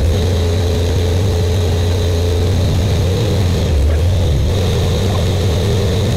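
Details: Buick Grand National freshly rebuilt engine, first start during cam break-in, first 10 minutes, no thermostat: loud, steady fast idle, deep and throaty with a faint high whistle, no ticks or misses; good oil pressure, warming up.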